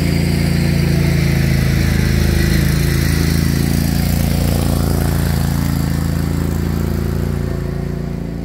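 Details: Craftsman GT riding mower (model 917.258873) with 18.5 hp Kohler CV18S 624cc V-twin, after carburetor replacement (long a hard starter), air filter off, jumper pack on low battery: steady, even thrum at constant fast idle, no misses or surges; normal running.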